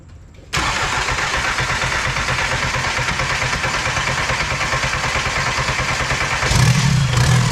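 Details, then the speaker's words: VW Mk1 Caddy pickup TDI diesel after swapping to larger injector nozzles, lines not bled, just checked tight; steady starter chug about three beats a second for several seconds before catching, long crank, then runs fine. "what we're just going to do is just crank it until it starts just double checking all the lines now everything seems tight just go ahead and crank"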